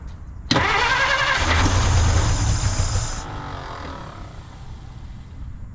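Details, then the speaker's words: 1950 Dodge Meadowbrook that sat for an unknown time, key start after gasoline was added: it cranks and catches with a rough roar, runs briefly, then dies to silence. Perhaps it needs more gasoline; the cause is not confirmed. "All right, as you can hear, it ran for 0.5 seconds, so we're making progress."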